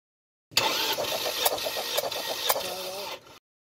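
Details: Ford Mondeo 2.0 cranking during compression test; car smokes, lacks power, coolant bottle boils after running: starter spins about four beats a second with uneven, lopsided rhythm; compression low on cylinder 2, head to be removed.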